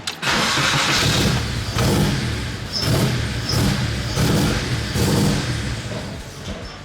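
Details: BMW E30 with K24 swap and Link ECU, early start attempt after plugging a suspected brake-booster vacuum port: repeated cranking bursts with brief uneven catches that never settle into idle; engine won't stay running, owner suspects something not working properly.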